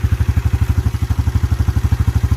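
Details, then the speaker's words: 1987 Yamaha Moto 4 YFM-350ER 350 single-cylinder ATV, shaft drive, automatic clutch, new carburetor, ice-cold start with no choke; even steady thump about eleven beats a second, really quiet, no knocking or tapping; healthy cold idle. "engines really quiet no knocking no noises no tapping"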